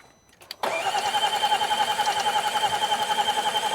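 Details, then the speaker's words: 2018 Range Rover Velar, crank-no-start after battery died: steady starter whir pulsing about 3.5 per second with no catch; exhaust valve opening at the wrong time, valve timing problem. "Okay. Yeah, this is a timing issue. Yeah, this doesn't look good, Steve. >> Yeah, >> timing problem. >> Sounds like a Land Rover."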